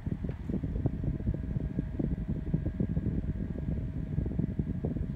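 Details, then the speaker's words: New Opolar USB and battery-powered fan: low uneven rumble with a thin steady mid-pitched hum on the low speed setting, which disappears on the highest setting; motor drone at low speed, cause unclear. "can i ask why this sounds like it has a drone inside of it especially when i adjust it like this"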